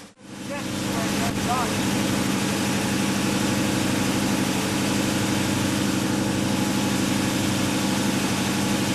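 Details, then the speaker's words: 1968 Chevelle with a Goodwrench 350 crate V8 just after a Vortec head swap. It catches at once and settles into a lumpy idle, about three pulses a second and not quite even; an apparent intake manifold vacuum leak is identified. "Alright, what we have here is an apparent intake manifold leak. Got a vacuum leak so"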